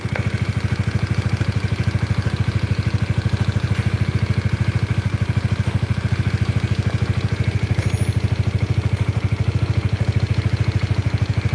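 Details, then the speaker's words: Honda CBR with double overhead camshafts at idle: sharp, regular clack on each beat, heard from the middle of the engine rather than the top. The cause is not yet found; the camshaft is being considered. "jadi yang bikin risih banget itu suara lato-latonya di sini ada suaranya"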